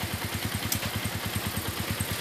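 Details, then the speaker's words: Shogun Robot small motorcycle idles with a steady even putter about ten beats a second after major service; starts easily, lights no longer flicker, sound smooth: normal idle. "hidup langsung enak ya langsung udah enak tuh lampunya nggak kedip-kedip langsung udah enak suara langsung juga halus"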